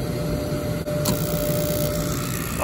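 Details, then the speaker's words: Rooftop gas furnace unit fired after reconnecting wiring straight onto the control board (igniter, flame sensor), no alarms tripped: steady low burner roar with even fan hum, no clicking or rumble; firing cleanly. "beautiful man that's a lovely sound"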